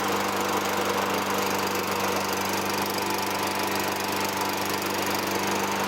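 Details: 2003 Toro Recycler 20016 with Tecumseh 6.5 single-cylinder, a trash find, runs after carb cleaning and removing debris from the gas tank. It gives a steady, even drone at constant pitch with no misses or knocks. Slight smoke fades; no oil in the air filter.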